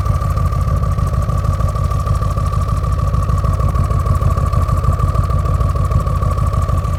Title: RS6 rough idle